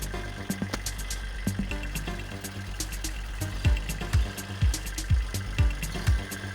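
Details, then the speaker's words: Kubota 27 hp tractor diesel after full starter overhaul fixing the starter defect that prevented starting; steady low beat about two firing pulses a second, even and unforced under background music; normal running. "Start हो चुका है यही problem था starter assembly के अंदर इसकी इसी defect की वजह से स्टार्टर असमली काम नहीं कर रही थी और ट्रैक्टर स्टार्ट नहीं हो रहा था"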